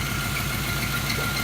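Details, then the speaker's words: 1985 Chevrolet El Camino SS barn find, V8 sitting 12 years, cold start: light, quick ticking keeps pace with the hesitant idle; owner suspects lifter tap from sitting, not confirmed; otherwise runs well. "A little hesitant and dead because it's cold, but yeah, it fires up. Runs good. Little lip tap, but that's because it's been sitting for 12 years."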